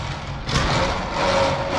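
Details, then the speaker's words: Truck-mounted hose reel motor, dual batteries, about 12 amps each, powered through a solenoid relay that clicks closed: steady, even motor hum over the truck's idle, no catching or labouring; reel working normally. "this closes the relay sends power up to the hose reel and it does its thing you can see they work pretty nice actually"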